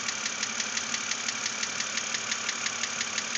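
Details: 2006 BMW Z4 3.0si, about 19,066 miles, idling: sharp even ticking about three per second from the top end; lifters already replaced without fixing it, dealer head replacement hoped for, cause unknown.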